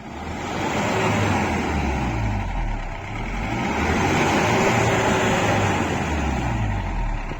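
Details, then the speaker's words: 2013 Mahindra Bolero ZLX diesel, 70,000 km, used-car inspection: engine revved two or three times, deep rumble climbs smoothly and settles back, no knock or misfire; normal free revving. "हमने गाड़ी की दो तीन बार race करके आपको दिखा दिया वो गैसेस कहां से निकलेगी"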